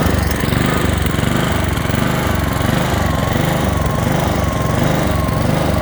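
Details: Honda HRX217 lawn mower engine surging, speed rising and falling about every half second; caused by a dirty carburetor, fixed by cleaning it.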